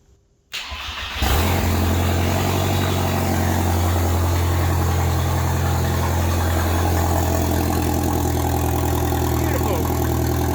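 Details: Mk2 VW Golf with 20-valve turbo engine swap, first start on a temporary battery and jumper wiring: cranks briefly, catches on the first turn and settles into a steady, even idle with a firm low rumble and no knocks.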